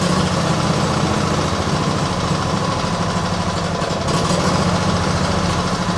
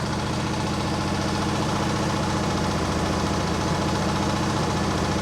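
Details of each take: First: Small petrol engine with automatic choke, started cold at idle: steady low drone with slight unevenness, rough cold idle; owner suspects choke acting up or water in fuel after washing; carb never cleaned, cause unconfirmed. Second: Mower with Nikki carburettor, restarted after running poorly: steady, regular idle with constant pitch and no stumbling or misfires. It now runs fine; the owner suspects the earlier problem was water or moisture.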